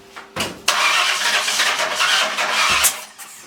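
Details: 302 roller engine, newly built with new cam and installed, timing trouble, plug wires rotated one hole counterclockwise: about two seconds of steady cranking with no firing; won't start, timing possibly 180 off, suspected not confirmed.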